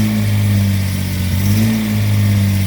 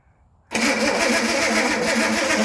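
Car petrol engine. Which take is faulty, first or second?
second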